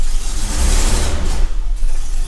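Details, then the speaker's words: Nissan Xterra camper, idle growing rougher over time; rough uneven idle picks up briefly as throttle opens, then sags and dies; stalls when throttle applied, cause not yet found. "Like, you'll turn the car on and it's fine. You give it some gas and it dies."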